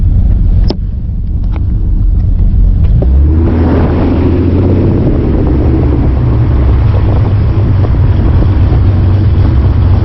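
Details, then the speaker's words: Ford Mustang 4.0 V6, idle raised from 675 to 725 rpm, road test while coasting: deep rumble with faint uneven pulsing at low revs. Idle chop heard around 850 rpm and under, not at 900; in park fluctuates 690–790 rpm. "i can hear a chop like now i can hear the chop about eight eight fifty rpms in under"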